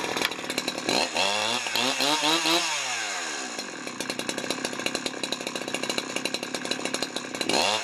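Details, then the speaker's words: Husqvarna 372XP chainsaw, Walbro carburetor rebuilt with China parts, warm after cutting wood, just leaned out: revs sweep up and drop, low-speed run ragged and stumbling instead of clean idle; low-end bogging, cause not confirmed. "Well, I still seem to get some low end bogging, so I'm gonna get the screwdriver on."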